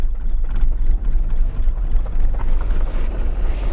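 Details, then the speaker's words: Newly acquired six-cylinder car with a leaking rocker cover, first start: rough, uneven low chugging with loping beats, not firing on all six cylinders, then it stalls; owner suspects the coils, compression seems decent. "Ah, clairement, elle tourne pas tout... Bon, bah la calée. Elle tourne pas sur ses 6 cylindres, fait chier."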